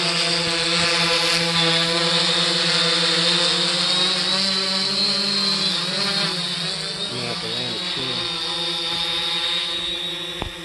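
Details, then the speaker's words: 3DR Solo drone in flight after upgrading from the OEM motors to Emax MT2216 810 KV motors, which have lower amp draw: a steady, smooth, high-pitched hum holding even with only slight pitch shifts, much quieter and smoother; normal motor hum in flight. "so it must be a glitch in the software definitely much quieter much more smoother"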